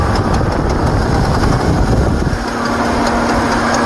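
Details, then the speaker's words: Jeep Liberty 3.7 or 4.7 L engine on very thin synthetic oil, 0W20 or 5W30, repeatedly throwing rocker arms off; rough busy idle with light rapid clatter from one bank as a rocker arm dislodges; valvetrain clatter, fix is rocker clips. "But it keeps jumping the rockers off. It'll be pulling up any time. Here it comes. Sounded pretty bad."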